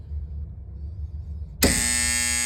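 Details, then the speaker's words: Seasons 4 store HVAC unit with failed inverter, supply fan running through bypass contactor: low hum, then sharp clack as contactor pulls in after time delay, followed by loud steady buzz; contactor vibrates instead of seating cleanly, needs replacing. "I'm going to put the relay in, and you'll hear the the contact chat. It doesn't shatter, but it just vibrates a little bit."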